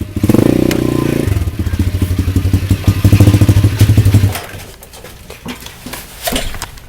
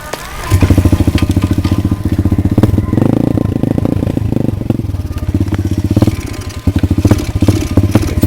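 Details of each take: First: Pit bike after refuelling the empty tank and removing the packing from the exhaust: small single fires up and settles into a steady, even thump with no misses or popping, then fades; running fine. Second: Pit bike that ran fine half an hour earlier, with a packed muffler and missing engine bolts: small single pops unevenly, revs surging and sagging with stumbles; owner suspected the carburetor, but the tank was found empty, causing fuel starvation.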